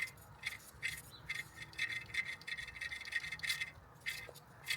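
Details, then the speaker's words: Toyota Yaris SR 1.3 alternator, removed and spun by hand: uneven gritty rasping crunch in bursts from a worn alternator bearing; alternator and drive belt replaced. "I think that is absolutely ghost. the crunch. Hang on. Do the video on there real quick. You can hear it crunch."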